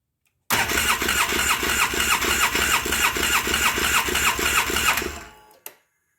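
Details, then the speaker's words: 2009 Polaris Sportsman 800 that sat about six months, fuel system dry after the pump was primed: a steady fast starter churn, about three beats a second, that never fires even with throttle; not enough fuel pressure yet. "try needs more pressure i had to give it some throttle"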